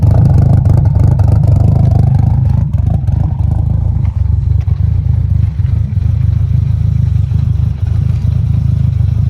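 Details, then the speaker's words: Emanuel's 1000 hp turbo engine build with Kelford cams, first startup: deep, low idle with an uneven loping beat around two pulses a second, no knocks or rattles, aggressive cams idling normally; blow-off valve whistle cracking slightly at idle. "Motor's so quiet. Huh? I've never seen one. Cams are a little lumpy, huh? I like them."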